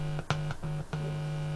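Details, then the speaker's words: DX amplifier build on 24 V split supply (48 V total) with no audio source connected: touching any input wire gives a steady low buzz with rich overtones through the speaker, cutting in and out with each touch, floating input picking up mains hum. "and if i touch one of the wires you might be able to hear it doesn't matter which one do get a buzz through the speaker"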